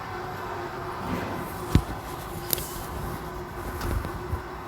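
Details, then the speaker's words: Gas geyser making a "saa saa" rushing sound as soon as it is switched on: steady rushing hiss with occasional sharp ticks and pops, meaning the geyser is overheating the water and steam forms; described as potentially dangerous. "जो अभी साउंड सुना, यह साउंड खतरनाक भी हो सकता है। इसका सीधा सा मतलब यह होता है कि आपका गीज़र पानी बहुत ज़्यादा गर्म कर रहा है और उसकी वजह से"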